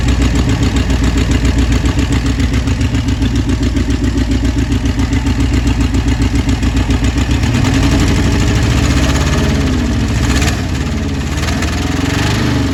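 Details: 1966 Ford Thunderbird 390 V8 idling shortly after first start with new carburetor and idle screw adjustment: steady, even low thump with no hunting or stumble; best it has ever run.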